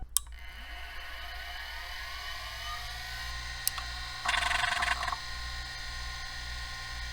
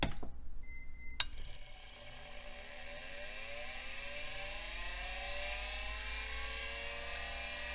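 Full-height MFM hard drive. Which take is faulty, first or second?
second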